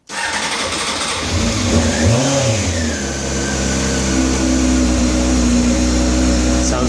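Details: 2000 Honda CBR600 F4 motorcycle, fully cold start on choke: crisp crank, fires right away and settles to a fast, even choke idle that climbs a little. A healthy cold start.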